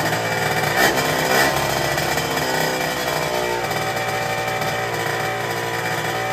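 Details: Derbi two-stroke motorcycle with new cylinder, after carburetor replacement and exhaust leak repair: crisp buzzy note blips then runs steadily with much less of the previous rattling, running much better.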